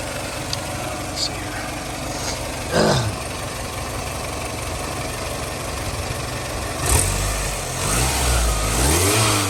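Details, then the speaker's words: 2000 Toyota Camry LE, 173,000 miles, fresh timing belt: even idle with a steady rush of auxiliary cooling fans and a couple of throttle blips. Normal operation. "RPMs and now you can hear those auxiliary fans again"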